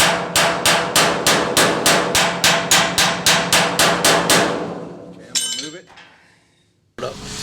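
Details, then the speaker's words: Rear driver-side wheel well repair on damaged metal, porta power heel pushing from behind; about fourteen sharp ringing hammer blows, about 3.5 per second; solid ring means metal firmly backed. Hammer ringing on firmly backed panel. "You can tell when I'm hitting a good piece of it's good and firm in behind it. You'll hear it ring"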